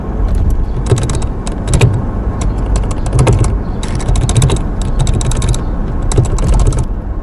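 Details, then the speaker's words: Toyota Fortuner while driving: bursts of sharp dry clicks and rattles over low rumble, caused by brake pedal free play widened over time, not steering rack or transmission; fixed by adjusting pedal free play. "the problem is your brake pedal every brake pedal has small FreePlay space as time goes by the space become wider and it makes annoying sounds and some people think their car has serious problem like steering rack or transmission but it's not"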